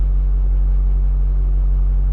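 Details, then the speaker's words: 2004 GMC Sierra/Chevy Silverado with no power, codes P2133, P2125, P0237 turbo boost sensor low voltage: flat steady low idle, rpm not moving while the gas pedal is tapped, responding only at full pedal; no throttle response. "i'm just gonna kind of tap the gas pedal as you can see i'm tapping it right there and the rpm is not moving at all look at that"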